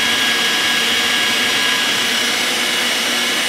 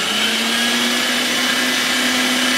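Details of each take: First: Electric meat grinder stuffing pork bratwurst: steady high motor whine with faint strained hum as it labours; not coming through well because the fatty pork has loaded up the blade, cleared by briefly running in reverse. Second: Electric meat grinder stuffing pork bratwurst, after reversing to clear fat loaded on the blade and going forward again: steady, even motor hum with clean high whir, no bogging; running a lot better, normal running.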